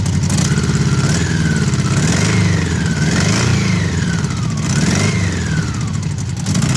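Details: Honda CB750 barn find, 65,000 miles, neglected outside for years: low, even purr at tick-over, steady fast beat, no misses or knocks, smooth as a sewing machine apart from a rattle; normal idle.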